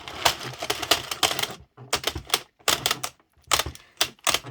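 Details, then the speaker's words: Circle knitting machine (Sentro or Addi) cranking, getting hard to turn as yarn splits and stitches split; bursts of sharp uneven clacks each turn with stiffening rhythm. "And see how it's getting really difficult? And what's happening is that you're getting split stitches around here and the yarn is splitting around."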